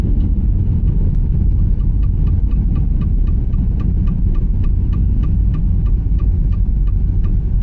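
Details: Opel Astra J while driving: light regular knocking about three times a second over low road rumble; on removal the inner CV joint was found binding in one position and pushing the driveshaft toward the knuckle. Fixed by replacing the driveshaft.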